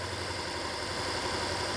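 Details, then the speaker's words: Alpina B7 after replacing a failed original ignition coil, idling in Drive: an even, steady idle with no stumble, misfire or shake, smooth as butter. "so just idled down in gear you'll really be able to tell if it shakes oh yeah no it's not shaking at all we're good"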